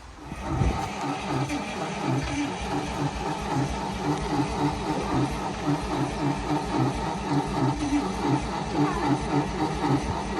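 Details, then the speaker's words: Carbureted 1955 Dodge M152 command truck, unused 15 years, restart attempt. Starter churns in a slow, rhythmic crank that never catches. Gas smell; owner suspects a flooded carburetor. Cranks but will not start. "might have flooded it full cooperated vehicles like the dodge here flooding the engine means that there's too much gas back on into the carburetor"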